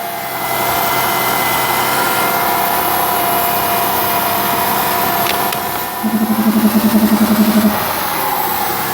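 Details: 2002 Mercury Cougar cranked and started on a jump pack: steady high-pitched whine holding its pitch over idle, alternator singing.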